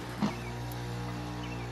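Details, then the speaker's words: Goodman DSZC180481AE heat pump, under three years old, whose fan and compressor shut off after 2–3 seconds, after fitting a new 30+5 µF dual run capacitor: brief start thump then a steady even hum; starts right away. "start right away actually start right away even faster than the old one"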